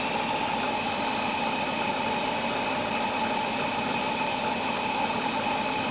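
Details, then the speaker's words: 1967 Mustang with Holley Sniper 1100 EFI, first run after a faulty injector was found (correct injector still needed): steady, even idle with no misses or stumbles. Fuel pressure about 60–65, AFR about 14.2. Normal idle. "Oh, I love to hear that engine running. Oh man, listen to her."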